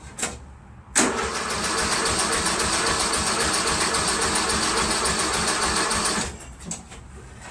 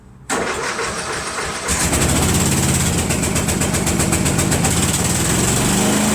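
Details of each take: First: Craftsman Trac Plus 23-inch dual-stage snowblower, 5 hp Tecumseh, cold first start of winter with year-old gas: starter churns steadily about five seconds, never fires; tank nearly empty, no fuel, oil at add line. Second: Craftsman Trac Plus 5 HP Tecumseh 23-inch dual-stage snowblower, cold first start of season on year-old gas, fuel shutoff valve leaking: pulls over, catches within a second, steady even single-cylinder chug about four beats a second; normal start and run.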